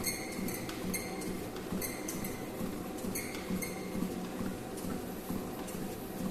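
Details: Xiaomi/King Smith WalkingPad A1 Pro treadmill: sharp squeaky creaks about once a second in time with footsteps, starting right after switch-on and walking, lasting about 1 minute, then disappearing for the rest of the workout.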